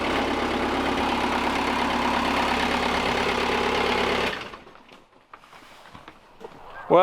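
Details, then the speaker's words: 2007 Bobcat S185 with Kubota V2003 turbo diesel after repairing sheared injection pump camshaft keyway and retiming to marks: catches and settles into steady even idle with low clatter, no misses or knocks, then shuts down; normal diesel idle. "but it's working like a charm so yeah it's gonna be sweet to have a bobcat around"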